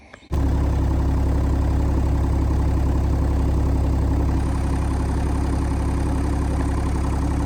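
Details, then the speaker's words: Hitachi 30u mini excavator diesel, overheated after sinking in mud, radiator now holding: deep lumpy uneven idle, blowing air back through the intake, sounds like missing; owner suspects damaged intake valve or cracked head, unconfirmed; engine misfire. "But there's something wrong with the engine. It's got blow. It's blowing air backwards through the intake and it sounds like it's missing."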